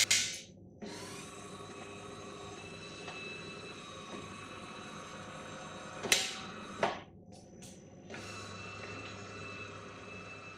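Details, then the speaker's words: De'Longhi Magnifica ESAM04 bean-to-cup coffee machine, 15 bar pump, switched on for the rinse cycle: loud steady buzz as air trapped in the pump lets no water flow; cleared via the fill circuit procedure with the hot water spout. "when the appliance is switched on for use during the rinse cycle around buzzing noise is heard and no water is delivered from the outlets"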